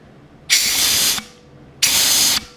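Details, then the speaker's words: Ford C4 transmission during rebuild, air check of the clutches and reverse band servo: short sharp bursts of compressed-air hiss, each cutting off cleanly as the clutches click in and the band applies. Normal. "So you can hear these things click in with clutches. Okay, you can hear that clicking in. Coming off and on."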